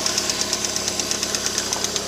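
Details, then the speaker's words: 2008 Lada Priora after standing 5 days at −15 °C, cold start: fast, even light tapping about eight or nine ticks a second over the warm-up idle, heard until the engine reaches 90 °C, then it stops; noisy hydraulic lifters, owner plans to replace them. "Вот, стучат до прогрева двигателя, то есть до 90 градусов они постукивают, далее пропадает."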